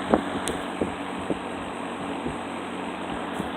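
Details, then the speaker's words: Old Lau box fan on a stand, motor freshly oiled (never squeaked), set to medium: even low hum with a steady whoosh of air and good airflow, no squeal or rattle; normal running. "Got a nice start-up sound to it. It's pretty quiet. That's on high."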